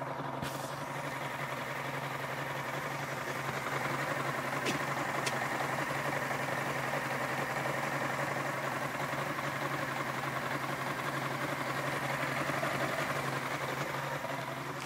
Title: Rough idle